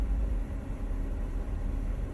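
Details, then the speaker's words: Engine on cold start after PCV valve replacement: low rumbling idle rising and sagging unevenly, settling after about 43 seconds; owner unsure if something is clogging; surging rough idle. "i didn't notice this until i had the pcv valve replaced that it's doing that it's just idling kind of awkward"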